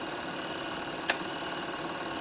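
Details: Bell & Howell Super 8 twin-track sound projector, nearly forty years old, made in Japan, running with lamp on: steady even whir with fine mechanical chatter and one brief click; motor and film transport with flywheel sound normal and smooth.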